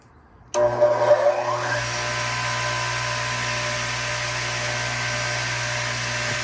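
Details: 1972 Craftsman 10-inch radial arm saw, first start in a long time after replacing its 240-volt plug: the motor starts cleanly and spins up to a steady, even electric hum with no grinding or rubbing. Normal motor run.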